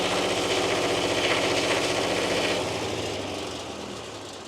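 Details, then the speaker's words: Miller Air Pak 400 welder/compressor engine, long-sitting, first run after shutoff solenoid meltdown, part of air pre-filter missing: rapid, uneven chuffing near four pulses a second that sags at idle; rough idle, runs good at full throttle. "Doesn't run very good at idle, but runs good at full throttle."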